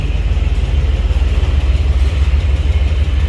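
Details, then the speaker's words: Chevy Trailblazer SS V8 at idle: fast even tick on top of the rumble, about three per second; guessed AFM or manifold tick, concluded to be a lifter. "Hey, nice AFM tick you got going on in there. This thing sounds gnarly."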